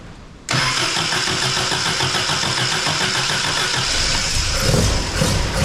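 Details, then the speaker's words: MGB, first start after installing a Weber 45 DCOE carburettor with new jets, carb top off for the test run, engine not yet at temperature. Fires instantly into a fast lumpy idle with crisp, responsive blips; only the idle needs adjusting. "So that sounds awesome. Idle needs to be adjusted, obviously, and needs to take it up for a run to get it up to temperature. But that sounded sweet."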